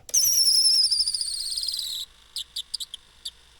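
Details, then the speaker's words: Polaris RXL Indy fuel-injected triple snowmobile barn find, fuel pump lubed with WD-40: high, thin electric whine about two seconds at key-on then stops cleanly; pump primes normally and may be usable. "sounds like the WD may have worked on that went away that was pumping WD the whole time wow that may have worked this may be a usable pump"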